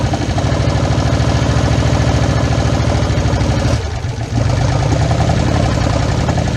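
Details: 1977 Chevrolet K20 4x4 V8, last driven 2001, first start in about 16 years on gravity-fed fuel: uneven, loping run with irregular stumbles and a brief sag; a cylinder bank skipping.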